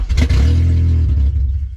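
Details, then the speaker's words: Honda Civic with a K-series engine swap on a Kpro ECU running a tuner-supplied base map, first start: catches with a deep burst, holds about a second, then sags and dies; fires briefly, then stalls. "No, don't die. Come on, baby. Oh gosh. She kind of fires on, but she runs like garbage."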